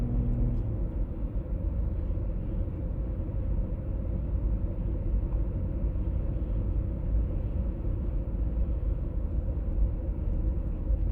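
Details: 1996 BMW E39 523i automatic (pre-facelift): steady low droning hum under road rumble at cruising speed, heard at 50–60 and 70–80 km/h, no knocks; source still unidentified.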